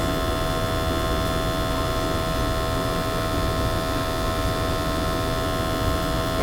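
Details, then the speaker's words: Natural gas boiler previously giving high CO, after burner cleaning: steady, even hum with no pulsing, rumble or flutter; burner firing cleanly, undiluted CO now 35 ppm, under the 50 limit. "That's fine right there, 35. Under 50 on the undiluted. I'm fine there. Clean burners, good CO levels now, so that's it."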